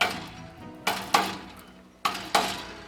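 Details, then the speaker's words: Corvette under restoration, exhaust cooled. Hand taps on one catalytic converter ring on with a loose metallic jingle, while the other side sounds normal. Internals are suspected, not confirmed: catalytic converter rattle. "One of the catalytic converters had this really weird rattling sound and it got quiet."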